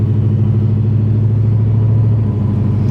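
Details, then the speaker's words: 1966 Plymouth Barracuda V8, automatic, driving on the road: deep, even rumble at steady cruise, pitch easing as the transmission shifts smoothly; normal exhaust note. "think it's about to rain here in beautiful Texas exhaust has a nice note to"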